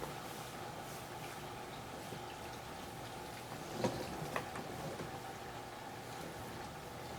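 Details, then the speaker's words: Computer water-cooling loop pump after refilling with distilled water, case tilted to burp air; uneven gurgling and sloshing over a strained pump hum as trapped air is ingested; air in cooling loop. "Pump definitely doesn't like being tilted that way."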